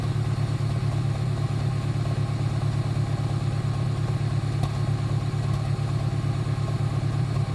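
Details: 2008 Honda Civic Si at cold idle: steady low pulse with faint irregular pops about three per second; cause unclear.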